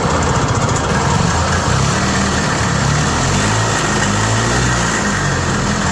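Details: Yamaha G1 golf cart single-cylinder engine started after repair work, now sounding much better than before: steady, even putter with no misses or knocks. Normal running.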